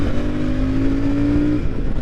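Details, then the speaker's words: Royal Enfield Super Meteor 650 parallel twin with six-speed transmission, riding on highway at 60–65 mph: smooth even low drone, pitch climbing with throttle, slight transmission gear whine, no knocks or rattles; distinctive non-V-twin sound, normal healthy running. "but it sounds good it's not a v twin Rumble like you get from a Harley or an Indian but it has a sound of a it own and it's nice"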